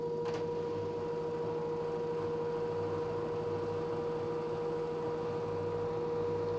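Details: LG direct drive 6 kg F1058ND5 washing machine making a steady mid-pitched electrical hum with a fainter higher tone. Cause unknown, owner suspects the pump.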